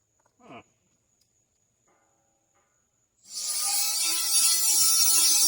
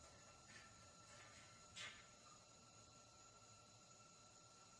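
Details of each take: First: MIG welding on a trailer main frame repair: harsh, crackling hiss that sputters and spits unevenly instead of frying smoothly; welder suspects poor prep, arc not making contact through paint; poor-contact arc spitting. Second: Trailer frame MIG weld after wire feed was turned up to 54: even, continuous frying sizzle with no pops or breaks, arc running smoothly, with some reverb through the pipe.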